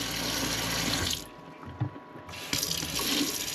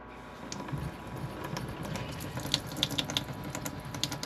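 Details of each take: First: RV water pump after controller module install: even hiss of tap water, briefly shut off then back on, no surging or pulsing, steady pressure; owner later found it still pulsed slightly and re-checked the instructions. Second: RV fresh-water pump running off tank before installing a smart pump controller: faucet stream surges and splutters, pulsating and splattering water as the pump cycles. Pulsating flow from cycling pump.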